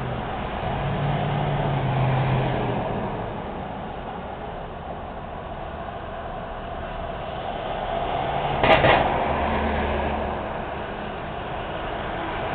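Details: Noisy manhole cover on a Montreal street that needs repair: steady traffic hiss, then one sharp metallic clank as a wheel crosses the loose, rocking cover.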